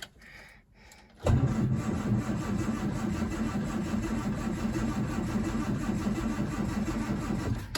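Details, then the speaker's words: Standard Vanguard III not started in nearly a year: starter churns at about three turns a second but never fires; plenty of petrol, so the owner concludes the fault is ignition-related. "let's try again oh it's going it's uh I could hear it slight cough"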